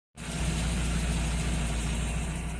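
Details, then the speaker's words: 1993 Nissan 240SX after head gasket job, coolant not fully bled, not over operating temperature: settled, even idle about 900 rpm with smooth low hum; normal idle, though later cylinder four plug looked darker. "So, the car is idling right about 900 and so far it hasn't got over operating temperature."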